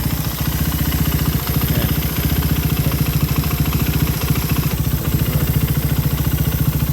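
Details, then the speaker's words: Raider 150 carb motorcycle idling; fast steady tick about three to four per second over low thump, inside the engine not the head, unchanged after new stock cam; rpm unstable when hot; owner suspects crankshaft bearing or CDI wiring, unconfirmed. "Baka sa dyan, crankshaft bearing siguro to. May tunog mga paps, iba hindi man sa head."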